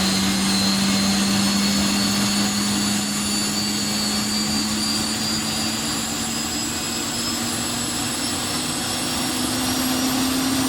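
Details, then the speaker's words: Honeywell GTCP 331-350 APU (1400hp turboshaft, A330/A340) starting in a test cell without a generator, reaching about 41,700 rpm: a steady turbine rush with rising whistles, the normal whistle of inlet guide vanes moving between about 74 and 77 degrees. "one of the peculiarities of this particular apu is that um you might have heard the kind of whistling noise when it started when the inlet guidelines that they described earlier on and move between the i think a 74 and 77 degree position they uh they whistle basically it's like blowing across the top of a bottle"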